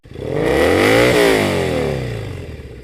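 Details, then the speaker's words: Triumph Bonneville SE 865 with D&D silencers, after air injection removal: engine blips up smoothly and revs fall away cleanly on closing the throttle, no exhaust pops or bangs; previously popped and banged on the overrun, now normal. "Especially when you compare it to the last time I was doing a wee test run like this. It was just popping and banging all the time, which I hated. It's running great now."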